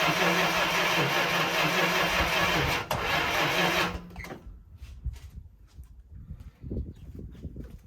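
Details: 1965 Chrysler 300 with 383 V8, sat 17 years in California desert since 2005, first start attempt on a gallon of gas fed to the fuel line: about four seconds of even starter cranking, no catch; owner guesses timing slightly off.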